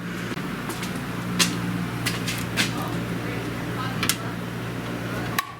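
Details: New Rheem oil furnace, one year old, after annual cleaning with gasket added to door, fired up: steady low burner roar and even fan hum with light metallic clinks; normal burner operation.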